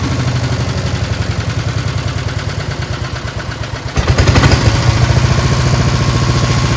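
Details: Craftsman chipper shredder with a heavy flywheel, on old brownish gas; it started on choke with one pull and makes an even single-cylinder thump that picks up slightly around four seconds and holds clean. Normal healthy running.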